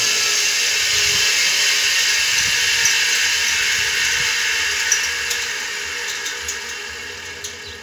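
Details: Customer's single-phase motor with pulley, started via reversing contactors (16 A at 220 V, 32 A at 110 V): high hissy whir with faint rough edge easing as it slows, bad bearing.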